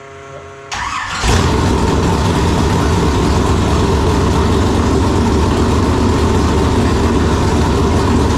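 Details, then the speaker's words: Chevelle with newly installed 568 big-block Chevrolet and Jerico 4-speed, after sitting almost 7 years, timing set to 35 degrees, not yet warm: catches after a brief crank into a deep, even rumble with no misses; normal idle. "sounds good I mean it sound better when it's warm but defin sounds good"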